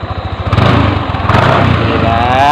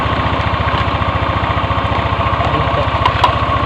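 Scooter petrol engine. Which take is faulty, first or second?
second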